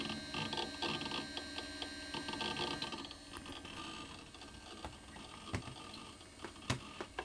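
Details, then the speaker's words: Amiga 2000 with GVP A2000-040 accelerator while copying files to floppy: faint, irregular light ticking from the right side of the case, amid desk noise. The hard drive is suspected. "Oh wrong Mouse can you hear that funny ticking yeah right side"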